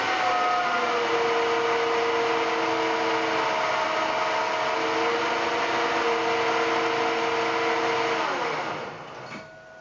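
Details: Fehlmann Picomax 50 CNC spindle motor run at its fastest speed, then slowed by inverter braking: clean, steady high whine that drops smoothly in pitch as it brakes; spindle motor sounds healthy, normal run.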